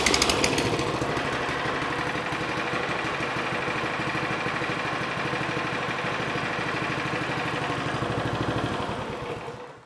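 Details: Briggs & Stratton single-cylinder small engine after clearing fuel hydro-lock from the cylinder, first start: fires fast and even with no misses, then winds down to a stop; runs healthy.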